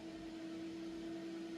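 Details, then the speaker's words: PC running about 1,000 CPU miner instances with fan quiet mode turned off: steady, even whoosh and constant mid-pitched hum, no rattles or wobble; cooling fan spinning fast under load, normal. "And then you can probably hear the fan, because I turn the fan. It's like a fan."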